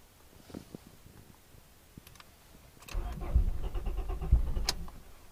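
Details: Turbo Honda Prelude cranks for a couple of seconds with uneven turning but never catches; no spark from the distributor, which was the fault.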